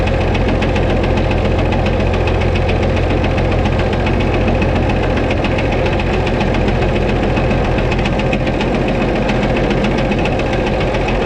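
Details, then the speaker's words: White 2-155 tractor engine, restarted after shutting off: steady heavy running with deep uneven hammering about twice a second and a slight miss; blow-by, exhaust and oil pressure normal; internal engine knock, cause not yet found. "when I parked it here I shut it off and then started it back up and that ran still hammered"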